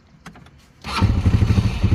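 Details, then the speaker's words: 2023 Polaris RZR 200 no-start fixed by bypassing the brake switch with copper wire from coax cable: quiet clicks, then the engine catches within a second and settles into a steady, even low idle; a clean, healthy start. "I'll be damned. Cool. Turn it over again. It lives."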